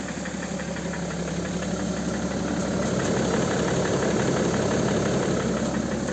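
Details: Cold BMW M57 306D3 diesel at idle: regular hard knock about four per second over the clatter; source of the knock unclear.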